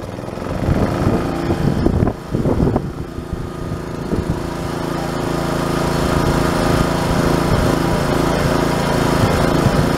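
Small engine pulls over and catches, stumbles briefly, then settles into a steady running drone that stays even.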